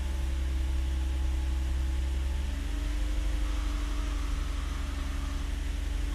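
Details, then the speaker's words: Nissan V35 (350Z/G35/Stagea) idling after error code cleared, no codes showing; steady low rumble settling to an even idle after a slight pitch drop, no misses or knocks; started a lot better; normal idle. "Start it up and so there we go. Back. That started better. That started a lot"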